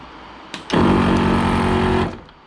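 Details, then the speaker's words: 15-year-old ARB CKMAT12 twin compressor on a Jeep CJ after one-pump rebuild with kit 320303 and new fuse: steady even hum about 1.5 seconds winding down cleanly, fan cooling, no leak hiss; seems to hold pressure, healthy. "kind of cool hearing the fan kick in when it's on i hadn't realized that before always using it with the vehicle off"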